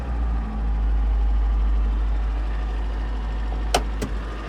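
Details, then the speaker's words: 1983 Toyota pickup four-cylinder on a cold start settling into a steady, even idle that starts and runs well; a throwout-bearing noise is noted that goes away when the clutch is depressed. Door clunks are heard near the end. "So yeah, runs pretty good, starts pretty good."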